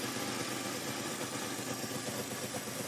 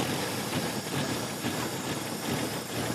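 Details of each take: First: 1966 Pontiac Tempest overhead-cam six, revived after sitting about 30 years, idling steady and even after hard revving with no knocks or misses and no overheating; it smokes a little, owner suspects cylinder number three and sticky rings. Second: 1966 Pontiac Tempest with overhead-cam six that sat about 30 years, just after a rebuild: an uneven, lumpy idle with irregular pulses; the vacuum advance diaphragm is putting in too much timing, and removing it makes it run much better.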